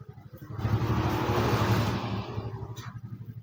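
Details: Suzuki (Satria-type) motorcycle with a non-original aftermarket regulator/rectifier (kiprok): it idles, but a throttle twist gives only a dull rush that sags back without climbing, so the engine will not rev; fitting the original Suzuki regulator is the fix.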